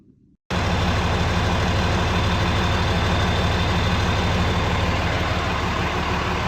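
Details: 2003 Dodge 3500 dually 6-speed 5.9 Cummins after short-block swap (old engine reportedly run out of oil), cleaned replacement radiator: steady low diesel clatter at idle, even, no knocks or misses; healthy.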